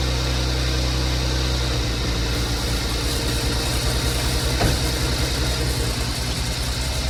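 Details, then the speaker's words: 2015 Porsche Macan first startup after timing chain replacement, BCM programmed: smooth, deep even idle hum, no rattle or ticking; no check engine light, running as designed, though small coolant leak found. "but there's no check engine light on. Everything seems to be working as designed."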